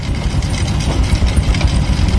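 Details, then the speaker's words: Honda Supra X 125 carburetted single-cylinder, freshly reassembled engine with replaced carburetor, air filter cover off: steady even low thump at idle with no misses or knocks; normal idle. "udah lembut, mesinnya udah lembut banget nih."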